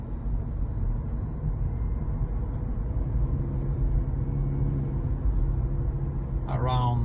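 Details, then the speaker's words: A Chevy Bolt EUV gives a steady, low droning hum over road noise while cruising around 36–40 mph, starting when it is cold, below about 50°F (10°C). It is likened to a truck's engine brake; the drivetrain hum's cause is not pinned down. "hello everyone so I'm in my vault in UV so it's regarding the humming sound that comes in uh both euv especially when the weather is cold"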